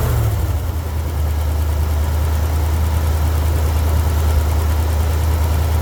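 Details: Jeep CJ7 at idle: uneven, lumpy beat about three per second from one cylinder dropping out; pulling that cylinder's plug wire brings no change, so the misfire is from that cylinder, whose plug will be cleaned and re-gapped.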